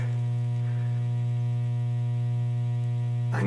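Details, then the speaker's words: Williams Flash pinball sound board, with the center tap ground wire put back in: loud steady low buzzy mains hum through the amplifier, a ground fault causing 60-cycle hum. "okay uh if I throw that excuse me if I throw this back in this ground wire can you hear"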